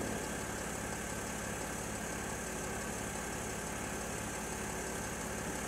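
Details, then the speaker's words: Mercedes GL X164 Airmatic, after repair of a fault where the suspension dropped overnight, worst at the front driver's side: the compressor kicks in with a steady, smooth electric hum while the car rises to normal ride height. Normal compressor operation. "okay now you can hear the compressor kick in see the car rising all the new bits are in you'll hear the compressor stop in a moment that's when the car is ridden to the normal right ride height"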